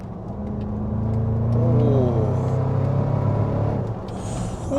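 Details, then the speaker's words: Repossessed Range Rover 5.0 SVR on its first road test after a major failure was repaired, just started and not fully warm; a smooth, even engine note rises cleanly under load with no knocks or rattles. Normal acceleration. "um that sounds nice that sounds so nice yeah that sounds well doesn't it"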